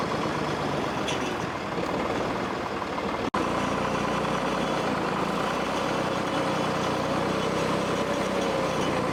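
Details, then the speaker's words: 1964 Lamborghini R2 tractor diesel idling steadily and evenly after priming a fuel pump that had run dry and bleeding air bubbles; humming along healthy, no stumbles or misses. "got this thing running and uh seems like it's humming along pretty good"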